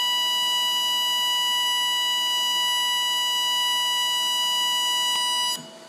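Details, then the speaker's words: Lincoln Electric Aspect 230 AC/DC TIG welder, DC pulsed TIG on 304 stainless steel at about 1,000 pulse frequency: steady piercing buzz near 1 kHz with shrill overtones, then cuts off; annoying enough to need earplugs; normal high-frequency pulsed arc. "so you can tell how annoying that is you're definitely gonna be wearing earplugs if you're welding with that setting"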